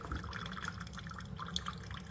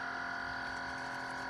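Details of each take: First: Chefman single-serve drip coffee maker warming up and brewing: soft irregular drips and gentle trickling over a low steady hum, no rattle or strain, quieter than a Mr. Coffee; normal brewing. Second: Chefman single-serve coffee maker with rear reservoir, quieter than a Mr. Coffee: steady high electric hum with a fixed whine tone near the end of brewing; owner finds it a weird noise, cause unknown, coffee not very hot.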